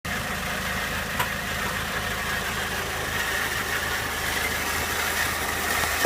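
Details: 2001 Peugeot 206 1.6 16V petrol at idle: even idle with a faint thin whine that settles in midway, something spinning noisily; owner suspects the clutch, source unconfirmed.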